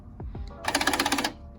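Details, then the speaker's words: Car door lock actuator heard on unlocking: a quick buzzing chatter of about ten clicks in half a second from the broken actuator, which was replaced with one from a parts car. "first thing we're tackling today is the actuator that's a problem number one like I said if you unlock the car you can hear the actuators broken"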